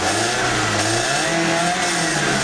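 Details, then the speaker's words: Car starts and idles fine, but revs climb then briefly sag and flatten before picking up, a slight stumble under throttle: hesitation on acceleration. "Alright, it idles fine. But we'll see if we can hear the little hesitation."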